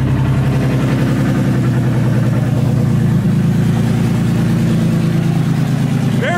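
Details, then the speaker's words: BMW E36 with swapped M52 inline-six, first start with no throttle hooked up and idle control valve working: loud, deep, steady exhaust drone with an even beat and no knocks or ticks; firing on all six cylinders. "very loud all right so it runs it's almost 9:00 so it's my one fire up for this evening but runs doesn't make any noise other than exhaust sounds like it's on all six we'll call that a success"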